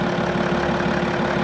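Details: Diesel at a Copart auction, with no dash warnings about the DPF: smooth, even idle with a low steady clatter and no knocks or odd noises. A healthy engine at rest.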